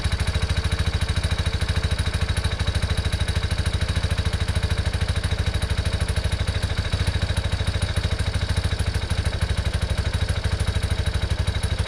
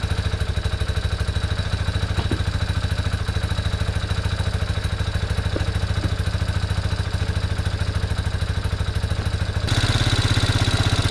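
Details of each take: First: 1987 Yamaha Big Bear 350 4x4, fire-damaged, jump-started because its small battery could barely crank it: a single cylinder thumping at a steady, even beat with no misses or knocks; normal running. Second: 1987 Yamaha Big Bear 350 4x4 single-cylinder ATV with uncleaned carb and pod filter, no airbox: fast slightly uneven idle, runs only on choke; owner suspects plugged carb or lean running.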